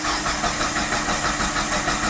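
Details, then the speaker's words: Mitsubishi Lancer 4G18, stalled on highway, crank no start, no DTC, no spark, check light on at key-on: steady even starter cranking that never catches. "so while I was cranking the vehicle decided to start so I'm not sure exactly how come it's just now the car was just cranking I wasn't starting"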